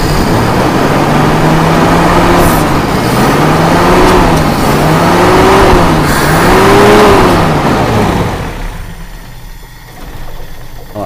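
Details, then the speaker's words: Carburetted car engine (e.g. Toyota Kijang) with stumbling running, RPM raised and carburetor intake choked to create strong vacuum cleaning all carb passages: held high revs surge and sag roughly, stumbling rich from excess fuel. "kelebihan bensin ya berarti hampir semua jalur dari karburator Insyaallah lancar"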